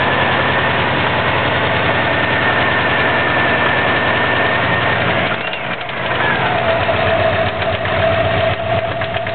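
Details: 2004 Subaru WRX stage 2 engine (stock turbo/TMIC/injectors, Enginuity tune, 22 psi boost, downpipe, 2.5" cat-back, up-pipe), heavy knock since doing donuts on pavement: rough idle with a fast, heavy, uneven knock about four per second; rod knock suspected, unconfirmed.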